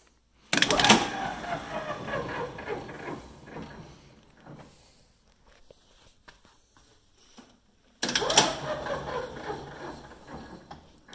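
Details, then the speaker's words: Old golf cart converted to lithium battery, test: sharp contactor clunk as pedal is pressed, motor whirs then winds down, repeating; contactors closing progressively with pedal, drive switching working normally. "so i'm gonna press this pedal right here and as i press it you hear the motor turn so that's this contactor is closing as i press this pedal farther more and more of these contactors are closing"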